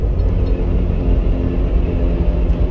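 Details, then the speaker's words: Lifted Toyota Land Cruiser 80 series at about 40 mph: heavy low rumbling drone when coasting off throttle or braking, gone under load, from driveshaft vibration due to steep angle. "that vibration's coming from my drive shaft it's pretty loud pretty darn sure but foot on the gas goes away foot off the gas you can hear it"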